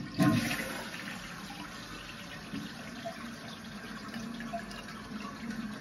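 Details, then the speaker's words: Toilet that ran continuously after flushing, after fitting a new Fluidmaster 400H fill valve: strong flush rush, then a steady quiet refill hiss that shuts off as the float rises, with no squeal or chatter; fill valve works properly. "You can hear it shut off as it comes up and turn on when it goes back down."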